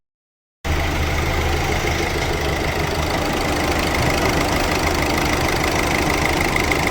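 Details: 2018 Hyundai Accent 1.6 CRDi diesel after repairing a No. 2 cylinder misfire and engine knock (injector/high-pressure pump work, engine reinstalled): even idle with light, regular clatter about three beats per second, no knock; sounds healthy.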